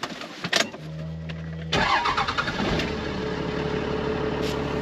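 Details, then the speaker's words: 12-valve Cummins diesel, 5-speed, with a bigger turbo and injectors and a history of hard winter starts: a brief starter whir, then it catches at once into a steady idle clatter. Quick start; the owner suspects air was in the lines. "already good news it starts better than it ever has since i owned it"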